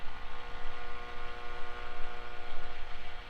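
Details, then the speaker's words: 1946 Zenith 4K035 farm tube radio, recapped, on battery eliminator, tuned lower on the band: steady low hum with hiss and a faint wavering tone; noisy reception, cause not identified. "like there's one down here. Of course, there's a lot of noise."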